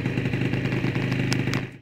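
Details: Aprilia SR 50 two-stroke scooter, first start after engine repair: quick, even burble with a light rattle on top, holding steady before fading out; the engine idles cleanly.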